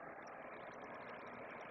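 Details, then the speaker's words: LifeSmart Renew roll-around PTC ceramic heater, after the heating elements cut out when turned down: fan runs on with a quiet, steady, airy hiss and no rattle, cooling elements still in the 90s, room about 72; normal fan run-on. "The fan still cooling. Temperature in here is let's say 72ish. It's cooling off still."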